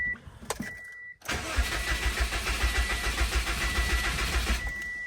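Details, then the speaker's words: 2006 Subaru WRX, 173,000 miles, fuel pump fuse/relay pulled before fuel filter replacement: starter cranks steadily about three and a half beats a second for several seconds and never catches, intended crank-no-start to relieve fuel pressure. "Okay, we got nothing. And in this case, it is what we want. This is the only time that I would want my car not to start."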